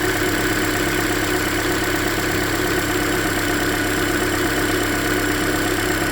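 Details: 2013 Hyundai Elantra, about 100,992 km, near yearly oil change: light tick about three a second at idle on cylinder 3, louder on the middle bolt by stethoscope; owner suspects something deeper than lifters, possibly piston slap.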